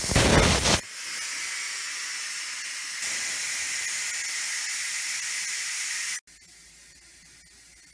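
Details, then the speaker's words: Instant Pot during water test, valve moved from sealing to venting; strong steady steam hiss drops in force partway then fades to a quieter rush as pressure releases normally before the red float valve drops. "steam is still coming out, but not so powerfully."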